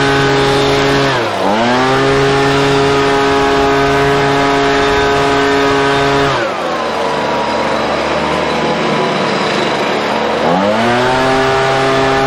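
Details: Husqvarna 125BV two-stroke leaf blower after new carburetor and filter fixed a blocked carb fuel passage, run at about 24°F with mixtures richened slightly: crisp high buzz dropping with throttle blips and climbing cleanly back to steady run; runs great.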